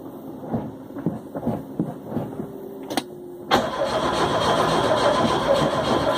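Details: Car cranked with new gas after a long no-start: the starter churns about three and a half turns a second for several seconds, the engine never fires, then a loud clatter breaks in; the owner suspects spark plugs or injectors.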